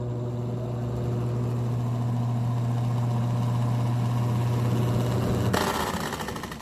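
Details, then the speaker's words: Arno 40 cm desk fan, running very slowly: a low motor hum with an uneven scraping rattle about four times a second. Worn, loose motor bushings; the blade seems to have play. "parece que a hélice dele tá meio frouxa tá com uma folga"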